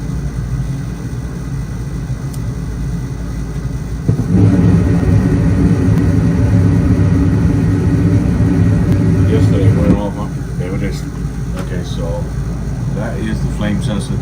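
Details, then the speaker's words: Gas furnace that went into lockout, restarted after reset, igniter glowing orange: quiet hum, then burner lights with a sudden roar for about six seconds and shuts off; won't stay lit, flame sensor suspected, most common fix. "you should hear it light up and it'll probably just turn off within a second or two"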